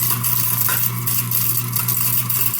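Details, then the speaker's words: Kitchen garbage disposal that wasn't working or draining: motor hum under a loose, gritty clatter of broken glass spinning inside, then the motor stops; glass pieces loose in the disposal. "So a piece of glass got broken. Kind of hear the glass spinning around in there."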